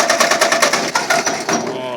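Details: 1951 Ford 8N tractor bought for scrap, compression around 120 psi, after carburetor and distributor clean, plug wires rearranged, makeshift carburetor; quick ragged pops about seven or eight a second on start attempt, misfiring, won't catch, cause suspected not confirmed.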